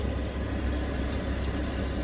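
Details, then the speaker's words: VW T4 van with a replacement Amazon heater module fitted after the hot/cold changer failed, electrics tested stepping blower up to full speed: steady even rush of air, no ticking, squeal or rattle; blower working normally. "so let's start do we have we have power there so that works we have air we have double air we have triple air we have full"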